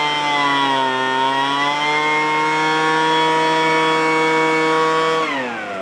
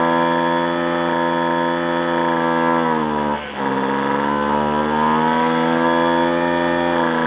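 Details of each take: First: Free roadside small two-stroke after opening up a restricted exhaust port with a screwdriver: a crisp, steady high buzz at full revs that eases cleanly. It had previously spat fuel from the carb as if running on choke; now fixed. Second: Free roadside two-stroke machine after carburetor mixture adjustment: high buzzing steady note with a brief dip and sag, sounding choked and spitting back; owner suspects a clogged exhaust and plans to remove the muffler to check.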